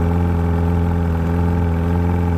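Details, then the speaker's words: 2009 first-generation Evinrude E-TEC 130 hp being winterized, with the high idle lever lifted into fogging mode so it injects extra oil to coat the internals. The engine holds a steady, even, raised idle with a smooth low drone and no misses. "we'll need to lift the high idle lever up and as you can hear the engine is now idling higher and the lights are all flashing this is an indicator that the engine has entered the fogging mode"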